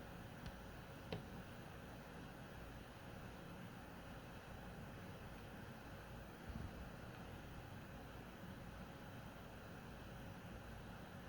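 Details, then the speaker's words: PS4 Pro 1st gen 7015B refurbished with copper shim and pads on south bridge and HDMI-area chip, boost mode, running a taxing game: faint even airy hum, no whine or rattle, nearly as quiet as 3rd gen; normal quiet fan. "as you can see already that the first gen is pretty much just as quiet as the third gen all right I mean they're very close"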